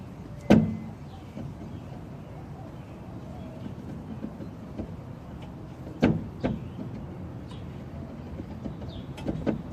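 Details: 2008 Honda Civic with front strut noise when steering: sharp creaks and clunks at intervals as the wheel turns; worn shocks/struts, noise gone after replacing them.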